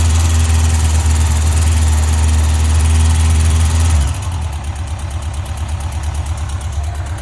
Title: 2005 Yamaha fjr1300 ticking noise